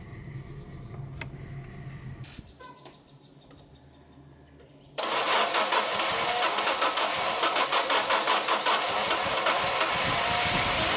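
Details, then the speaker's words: Peugeot 605 3.0 V6 PRV, always running badly, especially cold: after a quiet stretch it catches and settles into a low, lazy idle, revs far too low at start; idle valve suspected, not confirmed. "Le premier gros problème, c'est le régime au démarrage Elle tourne beaucoup trop bas."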